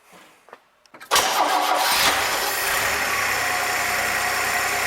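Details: 1966 Chevrolet C20 with 292 inline six, started after rebuild while tuning idle mixture by vacuum gauge, fuel inlet leak tightened; brief crank, immediate catch, steady even idle; vacuum about 17, rings still seating; normal start and idle.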